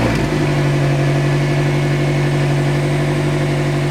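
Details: Car after replacing an exhaust that snapped in two: steady, even idle with smooth low hum and no puffing or ticking; exhaust sealed, no leaks, healthy.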